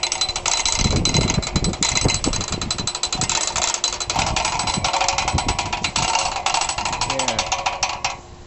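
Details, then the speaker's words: 2012 CraftLander NuCraft 6000 boat hoist winch, wheel turned clockwise to reel in cable: quick even run of crisp ratchet clicks, no grinding or slipping; pawl working normally. "you can hear that clicking going on here you just turn it until you have a nice reel going there"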